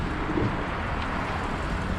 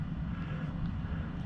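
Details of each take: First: 2013 Audi A8L air suspension being lowered after an internal leak from a recirc valve that popped out in the pump: steady airy hiss over a low rumble as the front settles evenly; normal lowering. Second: 2013 Audi A8L air suspension. The pump hums steadily but the car doesn't rise and no external hiss is heard. Found to be an internal leak: the pump's recirculation valve had popped out.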